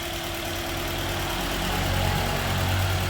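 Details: Toyota Altis just started on petrol, fuel pressure nearly 50 PSI; compression 175 and injectors checked OK, runs smooth on gas. Uneven stumbling idle, three or four lumps a second: rough idle misfire on petrol, cause unknown.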